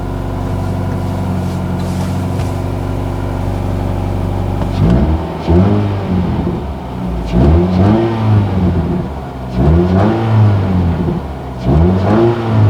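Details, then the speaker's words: B16 Nissan Sentra rallycross car with race torque mount insert (harder compound), NVH test recorded from inside the car: smooth start, clean repeated revs rising and falling, no clunks or rattles; sounds normal. "Sounds pretty good from in here. Now let's go ahead and check it out from the outside."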